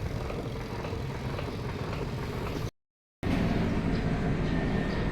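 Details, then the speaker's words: Spin-dryer washing machine: an uneven thump three to four times a second as the spin basket wobbles and hits the cabinet side. The rubber on the motor suspension spring has perished, so the spin is uneven and the laundry may be left wet. "Ayan gumiwang-giwang at kanina mga sobrang lakas niyan yan ay dito bumabangga na sa kanyang siding ng ating washing"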